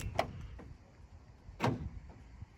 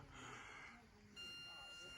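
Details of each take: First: Starline S9 alarm on Citroen Relay van arming: electronic internal deadbolts on side load door and rear barn door fire 1 s after arming with a double pulse (second pulse half a second later); two sharp clunks, normal deadlock operation. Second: Starline S9 on Citroen Relay van, ignition switched on: steady high electronic beeping as the pin-to-drive immobiliser waits for its 4-digit code, which stops with two beeps once entered correctly; van had an unrelated existing fault.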